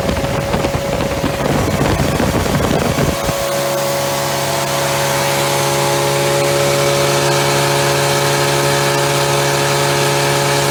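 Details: Freshly rebuilt Triumph Spitfire 1500 on engine stand, head shaved to about 9.5:1, .270 cam, warm at about 190, idle about 800 rpm, oil 50-60 psi: rough rev at first, then smooth even hum, no knocks or rattles; normal running.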